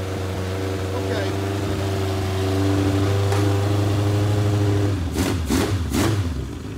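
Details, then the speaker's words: Legends race car after motor swap: carburetors pouring fuel, engine runs unevenly, stumbles and coughs in bursts before dying; flooding caused by worn neoprene needle seats in the carburetors. "it's getting so much gas in there it's just it's just flooding so um there's seats in here see a little neoprene seats are just worn out"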